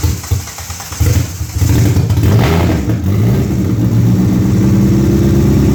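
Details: Suzuki Swift GT project car after fuel cut sensor replacement and clearing codes, open header: cranks, catches and settles into loud, raspy, fast idle that never drops; idle speed held too high.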